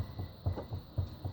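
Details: Opel Kadett C16NZ door rocked by hand: dull low thuds about four per second, the hollow knock of a worn, sloppy hinge with a sagging door.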